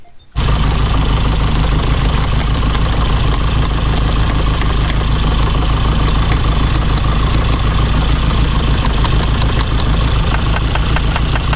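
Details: 1987 car at idle: lumpy, uneven stumbling beat that never smooths; one cylinder not firing, spark plug or injector suspected, plugs couldn't be removed without a special tool; owner thinks it needs spark plugs.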